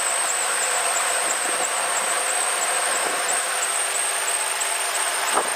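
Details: Ford Crown Victoria idling: thin, very high squeal chirping about three times a second from a slipping serpentine belt in the engine compartment.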